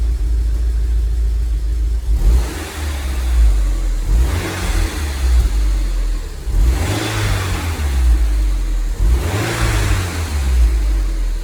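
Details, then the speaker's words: 2002 Rover 75 / MG ZT bought with a reportedly bad engine after long sitting: three rev blips with a deep exhaust note that stutters unevenly, a clear misfire, slightly smoky; suspected catalytic converter or lambda sensor, not confirmed. "it's a little bit Smokey but so far it only seems to be compensation it has been sitting around it quite a while [Music] so I don't know if you can hear it but it is missing in quite clearly"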